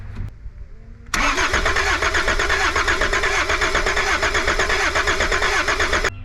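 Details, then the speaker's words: Cold, abandoned Volvo 740 D24t turbo diesel cranks about five seconds with even compression pulses but never fires; makeshift glow plug switch possibly burnt up, no power reaching the glow plugs. "I don't know if my sophisticated switching mechanism was burnt up right out of the gate but I'm not getting anything to the glow plugs that's a problem"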